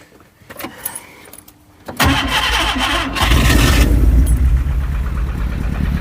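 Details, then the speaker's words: Skoda Estelle 120 with Rover K-series swap: catches after rough start and settles into uneven, lumpy, stumbling idle, running on three cylinders. "Right, as you can hear, that's on 3 cylinders."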